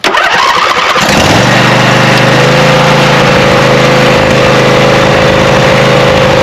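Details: Craftsman 42-inch riding mower with a 24 hp Briggs & Stratton V-twin that sat with stale gas, after a fuel solenoid replacement: cranks, catches after about a second, then runs lumpy on one cylinder. Misfire; a clogged carburetor jet is suspected.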